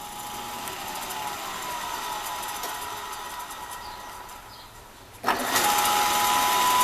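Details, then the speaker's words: Older Rockwell drill press being restored, with a repainted pulley, running unloaded with no cover after the start-up noise went away: soft, even hum settling to a steady tone with no knocking or grinding. It runs quiet and smooth. "Boy, I am really happy with how quiet and smooth that thing is. I am really happy with it."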